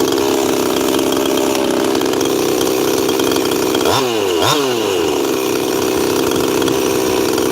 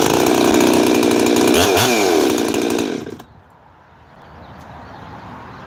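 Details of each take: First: Cold 346 chainsaw not run in a while, heat cycling outdoors in chilly weather; steady high buzzing idle with sluggish throttle blips; owner says it is running pretty rich and idle settles after about five minutes. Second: 372 chainsaw with 210 psi compression and an aftermarket 52 mm big-bore top end, being heat-cycled hot: it screams at high revs, then drops cleanly to a quiet, steady idle without sputtering, restarts easily; normal running.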